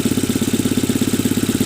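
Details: Tata Nano idling after the misfire was repaired: even putter of about 13 beats a second with no skipped beats, the twin firing on both cylinders and running smoothly.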